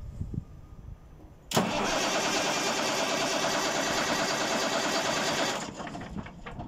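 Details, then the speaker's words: Caterpillar C15 diesel engine cranking with both crankshaft (speed) and camshaft (timing) position sensors disconnected: steady starter cranking about four seconds, no firing; the ECM gets no rpm or timing signal, so crank no start. "en esta siguiente prueba tenemos el sensor de posición de cigueñal y el del eje leva desconectado veamos qué ocurre si pretendemos encender el motor"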